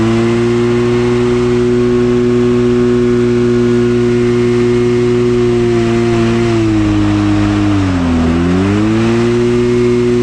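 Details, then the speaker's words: 1986 Scat hovercraft two-stroke on 50:1 oil mix; steady drone suddenly sags in pitch, nearly dies, then struggles back, as if locking up; owner suspects not enough lubrication. "that doesn't sound good it doesn't sound good what happened it sounds like the engine's locking up"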